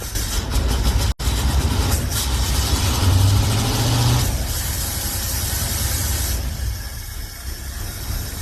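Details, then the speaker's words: V8 hot rod catches after a brief cut, then idles lumpy with a loping stumble. The owner suspects it is not firing on all 8 cylinders, possibly from flooding, and says there are no vacuum leaks; cause unconfirmed. "So I don't think it's firing on all 8. I'm gonna have to check, see if all the cylinders are firing, and then see what the drill might be."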